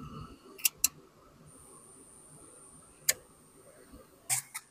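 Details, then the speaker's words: Device charging from an inverter at 91%: sharp irregular relay clicks as the screen blanks; input protection trips, relay cycling on and off. "You see the screen blanking. I can hear the relay once again. It's kicking on and off."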